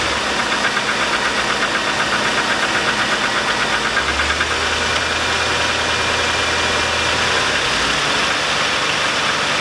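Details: 2002 Chevy Avalanche 5.3L, idling after start-up, smells rich: steady deep-seated knock about four a second under the engine noise, pointing low in the engine; owner suspects piston slap, lifters or a rod knock, not confirmed.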